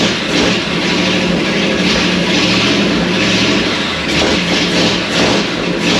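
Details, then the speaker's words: 1937 Ford with 59AB flathead V8, first start of new tight engine, no radiator, incomplete exhaust, new Stromberg carb, 6-volt system: loud open exhaust with steady even beat, no knocks; running well on all eight, carb and timing need slight adjustment. "It seems to be running on 8 pretty good. The carburetor needs a little bit of adjustment."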